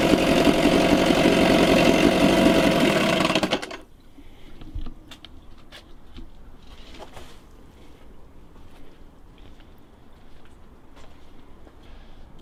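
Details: 1987 Johnson 4hp twin two-stroke outboard in a water barrel, recently overhauled with new choke/fuel shutoff and idle valve, on old rich-mix fuel: a few seconds of crisp even buzz without misfires, then it cuts off; normal running.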